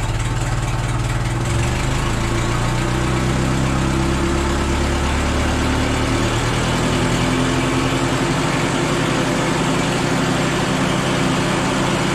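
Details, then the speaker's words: $200 old forklift engine idling with new muffler fitted: even low steady idle, smooth muted exhaust note, no rasp or popping; much quieter. "We'll see what it sounds like with a stinking muffler on it. Wow, that's so much quieter."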